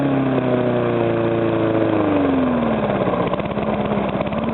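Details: Briggs & Stratton single-cylinder after rebuild fixing a knock from compression leaking past the piston (rings rearranged, cleaned): runs smooth and even as revs ease down, no knock; sounds healthy.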